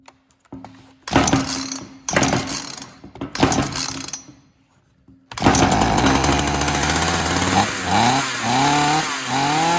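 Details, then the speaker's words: Ryobi RY3714 chainsaw, started on choke: several short pull-start bursts, then it runs, but the pitch wavers and bogs each time throttle is added, as if lean, and it dies; cause suspected, not confirmed. "see how it fires up and it works but then as soon as you try to get it gas it's done so I don't know what that's about"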